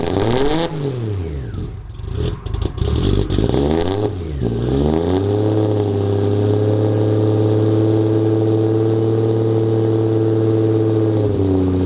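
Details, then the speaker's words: Nissan 240SX S14 with RB25 and starting issues, fitted with a forklift starter: heavy, slow whirring crank rising and falling into a steady loud drone, truck- or forklift-like; loud diesel-like starter cranking, works for now. "So that sounds completely ridiculous now. Sounds like either a truck or a forklift trying to start, but it works, and I guess we're good for now."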